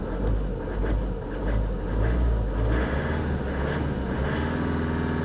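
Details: Audi A1 diesel (called a 1.9 TDI) after a fuel filter replacement and purge, with no leaks: a light throttle blip. It rumbles evenly with no misfire or knock, running smooth and steady. Normal running.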